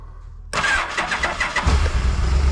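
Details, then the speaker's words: 1991 Yamaha Venture Royale, neglected bike being revived, cold start on full choke in neutral with clutch pulled: short crank, fires at once and settles to a steady low even idle, no smoke; normal cold start. "no way no way are you kidding me that's funny it runs runs good too"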